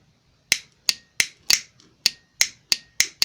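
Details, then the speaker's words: 2006 Jeep Grand Cherokee Laredo 3.7L 4WD, Mercedes 722.6 transmission; a solenoid removed from the car and bench-tested by touching battery leads: about nine crisp snaps in three seconds. It is opening and closing normally and the circuit is complete. "good solenoid that one's opening and closing get in the circuit complete port more on the ohm scale"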